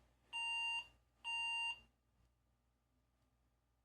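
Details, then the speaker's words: PC at power-on; two long shrill beeps about a second apart, then the screen reports CMOS battery state low and the clock reset to January 1 1980. POST beep, CMOS battery low. "seamoss battery state low f one all right standard SEMO setup"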